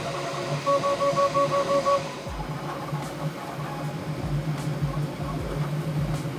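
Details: Bambu Lab P1S 3D printer printing a test cube on the old firmware, before the 1.05 noise-cancelling update: steady stepper-motor whirring with short tonal runs as the head moves, no grinding or clicking; normal printing noise.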